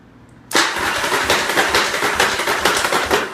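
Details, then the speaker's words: 1985 Yamaha Virago 700/750 cranking on the starter: uneven clanking and harsh grinding over the crank, roughly two knocks a second, blamed on the poorly working starter and Bendix, a typical Virago starter clutch fault. "sure you guys can hear the clanking the grinding of the nasty bad noises that's your typical virago for some reason they had starters and I'm just the bendix and all the stuff doesn't work very well"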